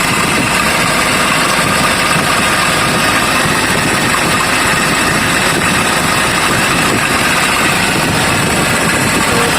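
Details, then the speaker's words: Kia Bongo 3 at steady idle under a loud, rough, constant whirring hiss; owner calls it very noisy and uses a mechanic's stethoscope to find the source, a failed idler pulley bearing. "Pumapalyar siya. So yung mga kaidol, napakaingay yung gagawin natin mga kaidol. Maingay siya"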